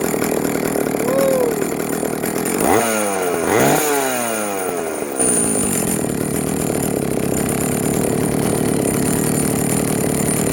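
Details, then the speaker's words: Vintage Jonsereds 70E two-stroke chainsaw, first run after major cleaning and fitting an unknown cooling fan; smoking from oil put down the cylinder; two crisp blips rising and falling, then a steady even idle. Normal running and idle. "look at that she's a runner she's smoking because I put some oil down the cylinder when I first got it wow that is awesome she is a runner"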